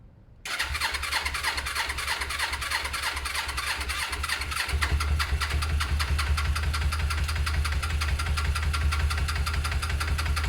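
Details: Suzuki GS500 parallel twin at first start after carbs cleaned (idle jets were fully blocked), battery reconnected, fresh fuel, no airbox fitted: starter catches into a ragged, lumpy idle that gains speed unsteadily; fuel delivery not yet right, cause suspected.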